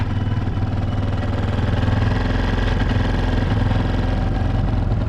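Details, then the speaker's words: Motorcycle single-cylinder just after an oil refill and top-end repair (oil had run out and broken a tappet part), revs kept low while oil circulates: a smooth, even idle with a steady low thump and no ticking; normal idle. "आवाज इसकी बंद हो चुकी है start करने के बाद एक्सीटर हमने ज्यादा नहीं देनी क्योंकि अभी ऑयल पूरा इंजन में चला नहीं होता कुछ सेकंड लगेंगे"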